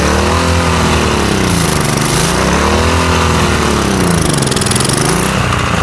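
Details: Loud single-cylinder lawn mower engine, being built into a riced-out mower, holds a fairly even chug with only slight speed drift and no knocking or rattles; normal running, now smoother, with some blow-by still expected.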